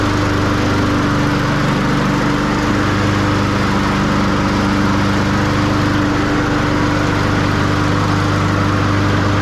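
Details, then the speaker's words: Push mower after spring service (spark plug, air filter, oil change, sharpened blades), power drive tested: steady, even single-cylinder drone with no misses or knocks; normal running. "Okay, our power drive is working lovely. So this one's ready for spring."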